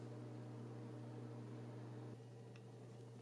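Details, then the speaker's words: Arctic F8 80 mm case fan in a DIY TrueNAS NAS, fan controller set from minimum to maximum: steady airy whoosh over a low, even hum, no ticking or rubbing; normal fan at full speed. "so you can probably hear that this is the 80 millimeter fan now it's the minimum and now it's the maximum"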